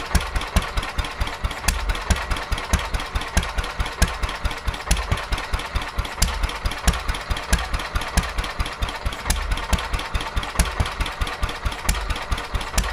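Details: Petter A11 (A1 series 2) single-cylinder vintage stationary engine, owned 12-13 years, sat damp in a container for four years; slow firing about two beats a second, uneven strength and spacing; rough running, owner suspects fuel starvation from dirt in the carburettor.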